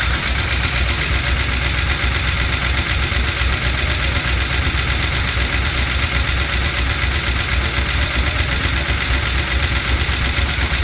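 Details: Chevy C10 with LS V8 swap, after reinstalling new lifters, head gaskets and heads: steady light tapping about four per second over idle; valve train tap persists, code reader shows timing advanced, owner suspects cam not timed correctly at install.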